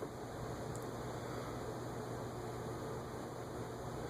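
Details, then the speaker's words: Vintage Hunter Low Profile Original ceiling fan on low speed (0.3 A), after gummed shaft-rotor joint freed with PB Blaster, WD-40 and oil: quiet steady low hum, no ticking, scraping or wobble; normal running. "So I worked some PB Blaster through there, then some WD-40, then some oil, and it's now running smooth."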